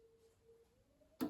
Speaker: And until the thermocouple heats up, it won't let the gas stay on. So turn it off, wait a few seconds, and we'll hear that clunk again.